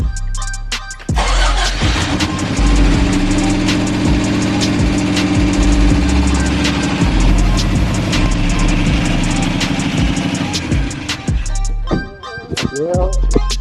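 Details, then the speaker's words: Subaru RX rally car engine: cranks, catches and runs lumpy and uneven with stumbling beats, lots of weird noises and a big oil leak; rough running traced to bad valves, needing another rebuild. "that sounds pretty [ __ ] terrible we'll keep playing with it"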